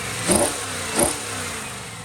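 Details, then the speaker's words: 1994 Caprice wagon LT1 after Torqhead install; knocking traced to a failed belt tensioner, normal with belt disconnected: two quick throttle blips rising and falling cleanly over quiet idle, no knock. Normal running. "All right, she's running. Real smooth and quiet like."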